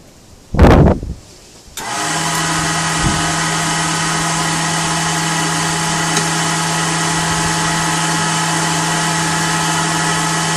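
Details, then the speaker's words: Blower fitted to a BMW E39 electric-vehicle conversion, test-run: a thump, then the fan spins up to a smooth, constant hum with a steady low tone; blower runs cleanly. "this thing is making noise it's sucking and blowing and see if the motor likes it"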